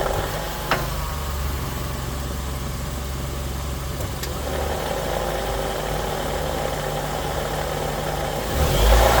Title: CVT transmission #growlingsound #cvtproblems #cvtgrindingsound #nissancvt